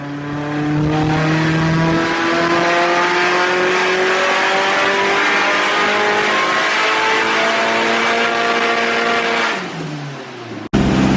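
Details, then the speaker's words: Stroked SR20 (SR22) 180sx turbo on dyno at full load after tuner worked around boost spiking over 2 bar; clean rising pull with no stutter or misfire, now working perfectly. "Thankfully Robbie was able to work around this and got it working perfectly in the end, as you can hear here."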